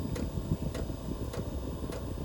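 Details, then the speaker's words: VEVOR 5 kW 12 V diesel air heater in startup mode. Crisp single ticks about every 0.6 seconds from the fuel dosing pump over a low fan rumble that gains speed. Normal pump operation. "Alright, y'all hear the pump just started ticking? And also it's got a fuel pump symbol right there. It's gaining speed."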